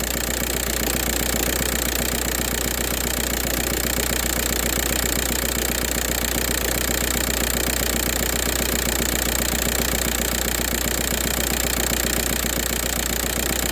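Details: 2004 VW Jetta TDI diesel with a morning no-start problem unless WD-40 is used: steady, even idle clatter at about two and a half beats a second over a low hum, running normally once started.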